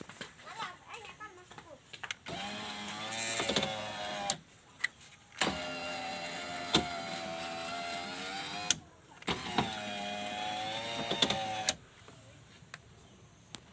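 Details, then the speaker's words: Left door power window on Toyota Avanza/Daihatsu Xenia All New, after regluing parts to fix glass juddering when closing: three clean up-and-down runs, even motor whir, steady pitch, no rattle or buzz; working properly after repair. "Kalau dirasa sudah cukup, tinggal kita tes ke atas ke bawah ya untuk kacanya."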